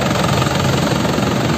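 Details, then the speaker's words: 2010 Isuzu Panther LS Turbo diesel, original, dry engine: smooth even low diesel rumble, steady beat, no knocks or rattles; healthy, very stable idle, engine calm and not shaking. "ini suaranya masih enak masih sangat stabil suaranya ya kalau mobil sehat seperti ini lho suaranya jadi Tandain aja kalau mesinnya sehat suaranya seperti ini stasionernya itu enak mesinnya tenang enggak enggak goyang"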